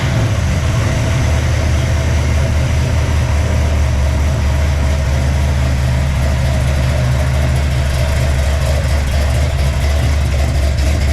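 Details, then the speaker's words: Freshly built 454 big-block Chevy (El Camino) on its first fire-up, with a Clay Smith hydraulic roller cam, 10.2:1 compression and ported 781 heads: a deep, loud, steady V8 idle that runs crisp. The carb needs tuning out of the box; the squirter spray pattern is disruptive where it hits the boosters. "that sounds crisp definitely needs some carb tuning yeah sure out of the box"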